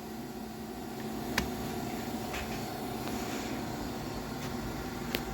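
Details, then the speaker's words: Willis 818-3A surface grinder at startup, table engaged, speed set by valve: steady even hydraulic pump hum with low drone and faint mid tone, normal operation. "as you can hear the hydraulic system is on and you engage the table right there and you adjust the speed just by adjusting that valve"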